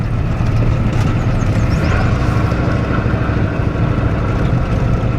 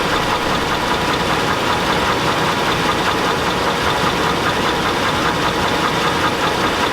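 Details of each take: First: truck seems to run pretty good though Second: Chevy Avalanche truck at a steady idle with a dull, irregular knock about every half second; the knock gets louder as the engine warms and the owner rules out the flexplate; engine knock, and the transfer case is also broken.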